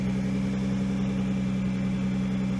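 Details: Nissan GT-R R35 just after fitting twin ANSU 330lph fuel pumps in a Visconti Tuning drop-in fuel basket: a smooth, even idle with a steady hum and no misses, knocks or whine, a normal idle.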